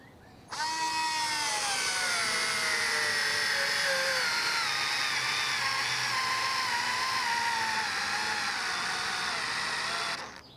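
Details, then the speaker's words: Cordless electric screwdriver with the clutch set to maximum, driving a large screw: the motor whine starts high and steadily drops in pitch as the screw bites, then cuts out; the driver gives up and stalls under the load. "i tutaj mi się już boken poddaje już mu nie radzi"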